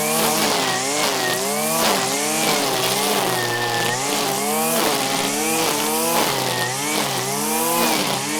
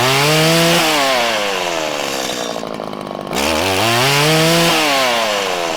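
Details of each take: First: 1997 Stihl Pro Series FS two-stroke trimmer after carburettor tuning, cutting grass at full throttle: a high buzzing note dips under load and recovers, pulling strong and crisp. This is a healthy tune. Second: 1997 Stihl Pro series FS two-stroke trimmer while tuning the low-side mixture screw: revs climb with break-up and hesitation, and a larger dead zone, when too lean; backed out until it revved up happily to top end.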